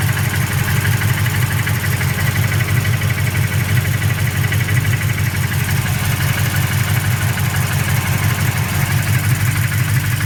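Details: Freshly built engine at steady idle: a dull, regular knock about three times a second rides over the rumble; a bottom-end knock, cause not yet found.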